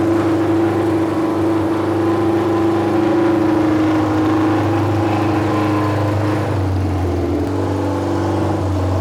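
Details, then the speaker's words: Junkyard Honda CB750F four-cylinder that sat for decades, running again: loud, throaty note holding steady and swelling slightly with throttle, no misses or knocks; runs cleanly with very loud exhaust. Starter clutch still needs addressing. "wow that's loud I will take it man who knows the last time this thing ran pulled out of Archway just an absolute wreck of a state and now we got it just absolutely blasting decb out the back"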